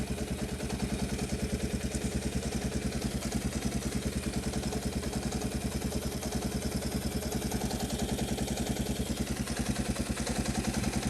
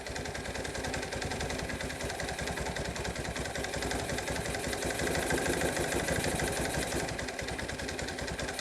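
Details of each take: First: 1986 Kawasaki KLT185 three-wheeler, sitting for an unknown long time, just revived: steady, even single-cylinder putter around 200 beats a minute with no misses or hunting, fuel line barely drawing fuel; clean, healthy idle. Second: 1986 Kawasaki KLT185 three-wheeler, long-sitting, revived, after a failed rev-up: single cylinder idling roughly, about three stumbling, varying pulses a second; owner suspects a partially stuck choke or a worn-out carburetor.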